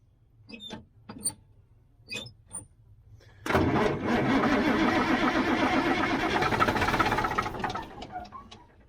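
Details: 1977 Mack R-model diesel truck that has sat a long time, on ether: even churning at about four beats a second for several seconds, never catching before it stops; batteries running down, cause unknown.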